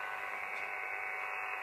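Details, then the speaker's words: Elecraft KX3 with its USB control cable and RX IQ cable into a Sound Blaster sound card on a MacBook Pro: flat, steady hiss with a faint hum. It's interference that occurs with any USB hub and stops when either cable is unplugged; cause unconfirmed. "I get this that is interference and it doesn't matter if I use a USB hub like this one or another one I get that noise if I unplug the sound code it always goes away"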